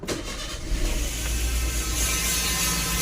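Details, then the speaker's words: Toyota Avanza/Veloz 1500 automatic gearbox, which is losing 3rd or 4th gear. The engine catches and settles to idle with a steady bee-like buzzing hum. The suspected cause is that gearbox oil is not circulating, and the dipstick oil smells burnt, suggesting burnt clutch linings. "dia terdengar suara seperti lebah Ya kemungkinan oli tidak naik oli gearbox-nya tidak naik ya Sehingga terdengar bunyi seperti itu"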